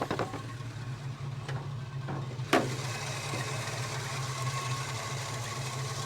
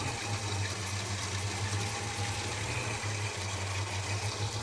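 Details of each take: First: Holden HK after new plugs and timing advanced slightly with no ping, with 63 jets and a 4.5 valve: steady, even low rumble. It idles smoothly and healthily. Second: Holden HK V8 just after a spark plug change, with fresh 20W60 high-zinc oil, at idle: low, lumpy pulse stumbling about every second. It is running rough and needs re-tuning; the cause is not confirmed.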